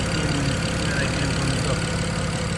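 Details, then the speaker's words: Right-hand-drive BMW 335i E92 with N54 engine, idling after installing catless downpipes, car still raised: steady, even idle with a smooth low rumble and no puffing, ticking or knocking; quiet exhaust with no leaks. "yeah there's the nice pretty quiet exhaust and uh it's all back together and working"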